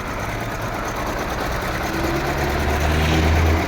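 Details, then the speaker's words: Daewoo Nexia that began shaking and stalled while driving after an engine wash: a lumpy, loping idle as if one or two spark plugs are not firing. "Мотордың оталып тұрғанын көрсеңіздер, как будто свеча істемей жатыр. Біреуі или екеуі."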